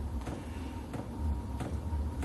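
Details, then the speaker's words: VEVOR 8kW diesel heater start-up after priming: sharp fuel-pump ticks about every two-thirds of a second over low fan hum and thin whine as pump and glow plugs pulse and it fires up; normal start-up. "so it's basically the pump and the glow plugs pulsing so yeah she's firing up you can hear the fan pumping the heat through the burn is roaring"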